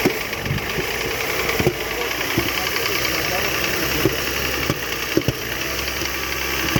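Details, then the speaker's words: 2006 Mercedes C-class W203 with the M272 engine, knocking after sitting a year: sharp, uneven knocks over a rough idle; an endoscope shows severe cylinder bore scoring and oil sitting in the cylinder, so the engine needs replacing. "Так, ну что, двигатель приехал, к сожалению. Классный мерсовский движок. Но что-то пошло не так. Такого задира, как здесь, я не видел еще никогда."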